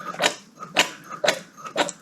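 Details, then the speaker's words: Austin Mini Mayfair 998 mechanical fuel pump, cam-lobe-driven arm worked by hand off the engine: crisp squish and click about twice a second, even with each stroke, pump working normally. "it pumps a bit of fuel and we can tell obviously this pump is working absolutely fine because we can hear it"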